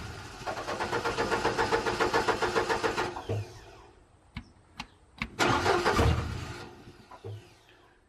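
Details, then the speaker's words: Upright AB62RT boom lift sitting unused over a year: even cranking, then brief sputters that catch and die without running; still a fuel issue with a temporarily fitted pump, owner suspects the pump is no good. "it's still a fuel issue and I'm wondering if that pump is just no good"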